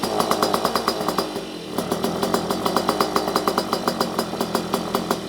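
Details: Puch Maxi with full Polini 65cc setup on first run, warming up: two-stroke buzzes in choppy surges, revs rising and dropping without settling; idle adjusted, owner suspects lean jetting still needs work.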